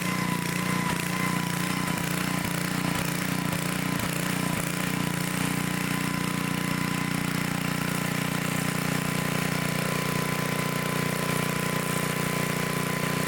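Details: 1972 Dayton 3,000 W electric-start generator, unused 30 years, after reassembly: steady even drone, constant pitch, no misses or knocks; running smoothly.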